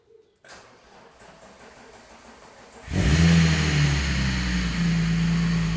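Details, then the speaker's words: VR6 engine first start after new pump fitted, run briefly to avoid heating, a pipe found loose earlier; catches and settles into steady, fairly loud idle without misfire, known noisy on one side. "Okay, so it is a bit noisy on this side. Engine is a bit noisy, but we obviously knew that. But that's it, it starts up."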